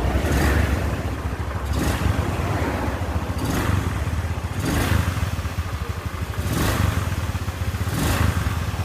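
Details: Carbureted Honda Scoopy engine just reassembled after piston ring replacement and valve cleaning; smooth, even running with regular throttle blips, no tapping or rattle, sound clean: normal running after repair.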